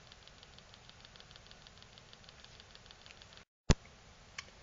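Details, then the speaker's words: Dick Smith XG4182 digital photo frame with the screen removed: a faint, rapid, regular ticking pulse from the speaker under quiet hiss, then a sharp click. The 12 V supply drops to 5 V, so something on the board is heavily loading it; the cause is suspected, not confirmed. "having completely removed the screen there I flick that on we're still getting that noise there something over here is not too happy"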